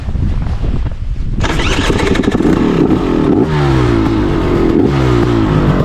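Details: 2023 KTM 300 TPI snowbike rebuilt with a BRC500 500cc TBI engine, freshly flashed tune: kicks into life and crackles through sharp crisp revs climbing and dropping cleanly, no misfire; healthy two-stroke.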